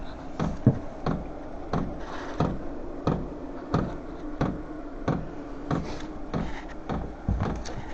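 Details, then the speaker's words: VEVOR heater on its first start in sub-zero winter weather, still blowing cold air: sharp dry pump ticks about 1.5 per second over a soft fan rush, normal dosing pump metering at start-up that the owner hopes will fade. "Je sais pas si vous entendez le le petit claquement de la pompe. J'espère que ça va s'estomper parce que c'est quand même assez brouillant hein."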